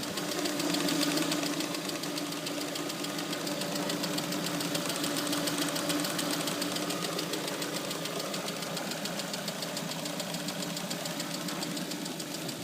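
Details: Lada Priora knock that began after a -40° frost start: light, regular metallic tapping about three per second at idle, present hot but not cold; INA lifters and camshafts replaced without effect, runs smoothly, oil pressure good.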